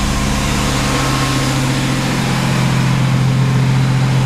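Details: 1991 GMC Sonoma ST, first start of the year after filling an empty tank with 5 litres of Shell V-Power 98; idle has a slightly uneven, wavering beat with occasional stumbles, not running smoothly; rough idle, cause not evident.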